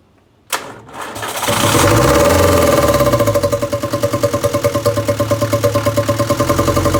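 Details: 1962 Land Rover Series 2A 2.25L diesel, just after injection pump timing set: cranks, catches and runs with an uneven pulsing beat about three per second, because rocker adjusters were left completely loose from exhaust-peak checking, giving excessive valve clearance.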